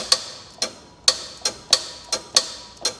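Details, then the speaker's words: 1986 Chevrolet Monte Carlo SS after restoration, fully charged AC: the compressor hot-wired straight to the battery gives sharp, dry clicks as the clutch pulls in. The compressor works; the fault is why it isn't engaging normally. "However, I've hot wired my compressor, and if I bring my hot wires over to my battery and touch my two terminals, positive, negative, hear that? That's the compressor engaging."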